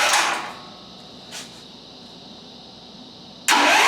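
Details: Onan portable generator (formerly meant for a 1976 GMC Motorhome) running on propane through skinny lines with a battery hooked up, push-button start: a short crank and catch, a pause, then it fires and runs steadily. A normal start.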